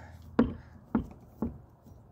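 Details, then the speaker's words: Kawasaki 750 jet ski engine turned by hand: loud, rough clunk about every half second from crank bearings damaged by rust. "that was the issue with this one you can hear the bearings quite loud when you spin it"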